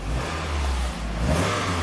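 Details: 1997 Toyota Celica convertible, 2.2 L four-cylinder automatic, 232k miles, no stored codes: the engine revs up smoothly and drops back with a clean even note, no misses or knocks, a normal free rev. A highway surge is being chased; a lazy upstream O2 sensor is suspected.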